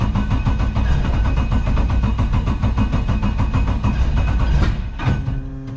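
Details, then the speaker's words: LS7 V8 in an S14 comp car, sitting about 3 months and being serviced for flex fuel: fast, choppy but even idle with a regular beat and no misfire, then shut off. Owner says it sounds like it's running on all 8. Normal idle. "Alright, that all seems pretty tickety-boo, so happy with that. Doesn't even sound, it actually sounds like it's running on all 8 too, so that's a bonus."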